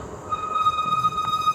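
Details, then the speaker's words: Fat-tire e-bike (20x4 in tires) riding near 18.5 mph: loud, steady high squeal near 1.2 kHz as the front disc brake is applied, holding over riding noise. "can hear it it squeals quite a bit it's just not fun to hear it"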